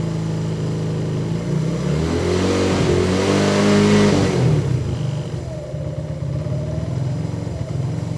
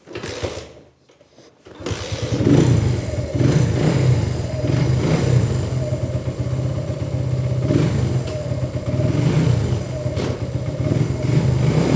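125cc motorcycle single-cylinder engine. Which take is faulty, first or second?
first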